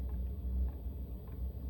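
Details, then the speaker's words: Diesel heater installed in Chevy Express camper van, during startup after ignition: soft regular fuel pump ticks, under two a second and picking up speed, over low fan rumble; normal. "Now you can hear the pump is starting to pick up speed."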